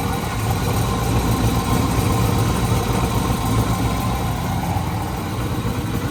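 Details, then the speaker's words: Turbocharged engine being prepped for Sick Week after turbo work, just started, oil feed line broken loose: loud, rough idle with a raspy blow of about four pulses a second. Exhaust leaking out of an open hole before the pipe. "now there's exhaust blowing out of the hole"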